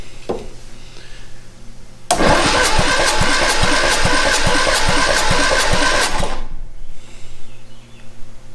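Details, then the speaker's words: 1962 Austin Healey Sprite MkII low-compression engine after 10+ years in storage, compression test cylinder 1 (about 112 psi): starter spins about four seconds with steady, even compression beats. Normal compression cranking. "about 112. it's pretty good for a low compression little engine like this"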